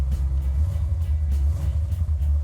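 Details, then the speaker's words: 1970 Dodge Challenger V8 with three 2-barrel Holley carburettors (1,350 CFM) and a Comp Cam rated 284 duration, 484. Deep, uneven loping rumble at idle with a steady rhythmic chop: a healthy idle with performance-cam lope. "Idle's nice, has a nice bump stick to it. We use Comp Cam 284, 484, 284 duration, 484"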